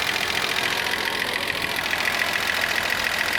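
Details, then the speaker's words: Z car engine that sat for years, idling near operating temperature with fuel pressure at 32–33 psi: fast, light, crisp ticking over the idle; owner thinks the valves are loud and need adjustment; slow fan clutch and coolant leak also noted. "like the valves are a little bit loud and they have to be an adjustment"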